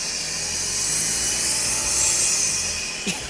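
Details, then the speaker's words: 2001 Honda Accord four-cylinder, non-turbo, with a failed exhaust manifold (header) gasket: revved harder, it gives a steady high whooshing hiss like a turbo spooling, though it has no turbo; blown gasket suspected as cause. "sounds like it's [ __ ] spoing it's not even turboed"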